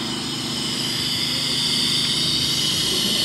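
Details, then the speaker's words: Brute air compressor with motor off: a steady, high airy hiss keeps bleeding out of the unloader valve, which is leaking tank air. "you can clearly hear it's leaking. So, next step is to drain the tank and open that guy up."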